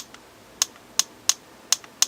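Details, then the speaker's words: Invert Mini paintball marker with the eyes turned off (trigger held while switching on), dry fired; five sharp, crisp clicks at uneven spacing from the solenoid cycling normally. "now to turn your eyes off what you do is you hold the trigger and then you turn the gun on and now your eyes are off so now when you press it it makes that solenoid clicking"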